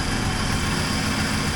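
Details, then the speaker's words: 1980 Triumph TR7 with the engine just reinstalled and the timing and carburettors set: a smooth, even idle with a steady low hum and no misses or knocks. An exhaust leak is still to be fixed. "it's uh pretty nice to have it running again and that's and it sounds really good so enjoy it"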